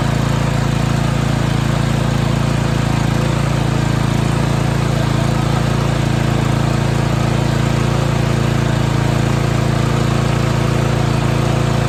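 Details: 2021 Toro Timemaster mower engine after the recoil rattle fix runs with a steady, even low drone, with no rattle or clicking from the recoil starter.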